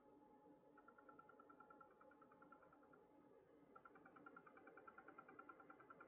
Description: It's been doing this for over a year. It makes this noise when playing 4K video on youtube or doing something intensive on the graphics card.